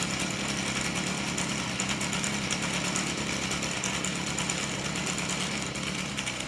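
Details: Stihl FS38 trimmer at idle after the dry clutch drum bushing was greased to cure an idle squeal: steady, even high-pitched buzz with no squeal left. It runs smoothly.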